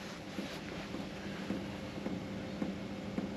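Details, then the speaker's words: 1994 Chevy van test fit of a BougeRV diesel heater on a blustery 20°F day, unit stored overnight in a 56°F garage. At startup the fuel pump gives soft, regular ticks just under two per second over a quiet hiss, running slowly as it primes. Normal. "It's almost like it primes cuz it runs kind of slow."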